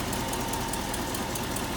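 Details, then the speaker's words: 1968 Ford F250 Camper Special with 360 V8, C6 three-speed automatic and power steering, idling under hood: smooth, even V8 idle with steady low rumble, no knocks or misses; runs well, healthy normal idle. "Again, runs real well."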